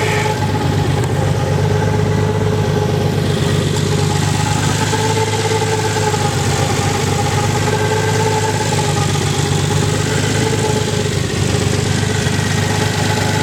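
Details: Nissan 300ZX, 190,000-mile engine, restarted after hydrolocking two cylinders in a puddle, cylinders purged and oil changed (water in oil): even idle, no rod knock, only a light quick tick from the cylinder 5 lifter; no bottom-end damage.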